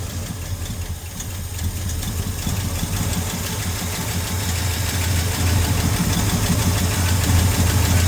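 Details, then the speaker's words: 1971 Ford F-100 V8 after sitting for years, running on gas bottle feeding the carb: fires right over into steady even burble that firms slightly as it warms; healthy idle, fuel system still needs sorting. "We're gonna crank it over and see if we can keep it running for a minute for science. Fired right over. Sounds pretty good."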